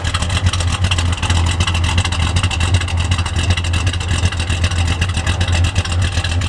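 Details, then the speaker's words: 1972 Dodge Dart Swinger Special, 340 V8 with chop cam, first start in years after the carburetor was repaired with a new gasket and accelerator pump: loud, loping V8 idle at about 2.5 beats a second, classic big-cam chop. "I would steal this instantly. Oh, listen to the chop. Chop cam."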